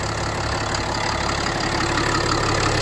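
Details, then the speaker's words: RAM 5500 Cummins 6.7 diesel, raised, after VGT actuator installation with no check engine light or fault codes: steady, even diesel clatter at idle with a smooth, regular beat, no knocks or misses; normal idle. "there it goes doesn't look like anything is leaking underneath right now so let me go ahead and uh let it run for a while"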